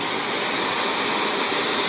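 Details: Shark vacuum running with the hose taken off: steady, even high rushing roar with no surging or pitch drop, sucking noise gone; normal suction, so the restriction lies in the hose path or lower down.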